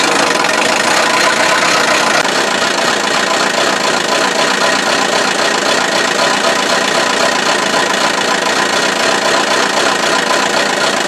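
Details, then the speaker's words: Buick Verano 2.4 L Ecotec non-turbo, deliberately run with no oil, no belt: harsh thin metallic clatter over a ragged idle, temperature rising and steam at upper hoses; engine failing from oil starvation. "oh my goodness this thing sounds very very unhappy but it's still running"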